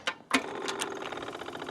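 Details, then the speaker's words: 1997 Yamaha Royal Star Tour Classic XVZ1300 on a cold morning, key turned on before the first start. A few sharp clicks, then a steady faint whir as the fuel pump primes normally. "Turn it on, I can hear the fuel pump clicking over."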